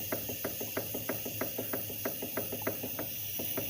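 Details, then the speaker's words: Renault Kwid 3-cylinder engine with a noise, head removed: sharp, fairly regular clacks about three a second as the pistons rock in their bores; all pistons show worn skirt clearance, probably from overheating, piston slap. "a gente já deu uma olhadinha aqui na parte de cilindro e viu que ele está com folga na saia e provavelmente é esse barulho que está dando no motor."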